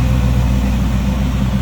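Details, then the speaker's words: 1939 Oldsmobile Series 60 two-door sedan with 350 V8, Edelbrock carb, electric fan, hood open in engine bay: deep, steady V8 burble with even unbroken pulse, no knocks or ticks; smooth running, healthy idle. "Hood popped. 350 V8 Edelbrock carb. Electric fan, power steering, power brakes, smooth running, good sounding engine."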